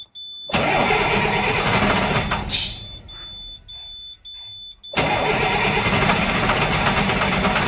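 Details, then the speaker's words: Freshly rebuilt 466E diesel, first start after the rebuild: it runs a couple of seconds and cuts out, then short cranking bursts before it catches again. It stalls and restarts hard; it has fuel, and a loose connector is suspected. "well guys uh this sucker just died uh try to crank it over again now it doesn't want to start so i got to go back and find out what happened"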